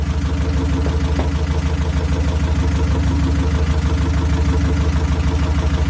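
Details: 1969 Ford Capri after fitting another carburettor with smaller choke and swapping the idle jet holder: steady even idle, about three beats a second, no misses or hunting; runs much better, normal idle.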